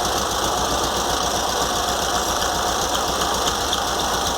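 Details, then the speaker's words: VW Beetle (Fusca) air-cooled engine idling after carburetor cleaning and moving the alternator fan away from the shroud; steady hiss and whir with a thin high whine remains, owner suspects a bearing inside the alternator. "limpei o treinador e montei de novo para tirar o barulho mas ainda tá um pouco de barulho ainda porque provavelmente é um rolamento aqui dentro do alternador"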